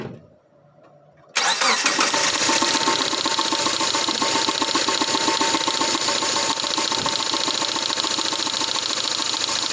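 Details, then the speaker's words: Four-cylinder boxer engine running with two fuel injectors disconnected: it catches after a short crank, then settles into an uneven, choppy, lumpy idle on two cylinders, which the mechanic says it should not manage. "now again if if you normally think about it already the car should not have fired like this with the two injectors disconnected"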